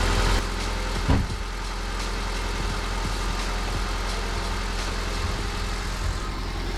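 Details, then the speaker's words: Old Honda petrol engine started with a jumper from a 4S LiPo battery, idling with a faint, uneven low knock beneath the rumble. Owner suspects a rod knock, unconfirmed; the car is being retired. "yeah, I got a little bit of a rod knock. So luckily I'm retiring the car and all that good stuff."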